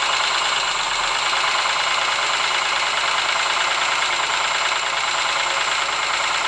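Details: Ford Sierra engine at idle: persistent, slightly uneven tapping knock about three per second; engine knock of unknown origin.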